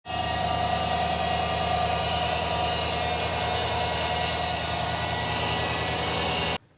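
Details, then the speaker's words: 2020 Chevy Silverado 5.3 V8 at about 54,000 miles with electric power steering; sudden-onset steady high whine over the engine that rises with rpm, caused by a failing idler pulley bearing. "2020 Chevy Silverado had kind of a quick onset of a whining noise. I believe we're at 54,000 miles. I don't know if you can hear that or not, but it definitely gets louder, higher the RPM."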